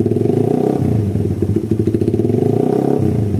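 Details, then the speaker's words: Suzuki Satria FU with a worn camshaft, racing exhaust and BRT CDI, after service but still on the stock vacuum carb before the UMA Racing carb swap: quick blips with even firing and no stumble. The earlier hesitation is gone. "Jadi untuk kondisi awalnya seperti itu tadi, sebelum ganti karbu UMA ya, dan setelah servis, dan nggak jeda-jeda."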